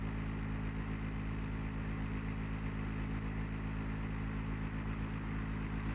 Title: GREE CLIMA loud noise problem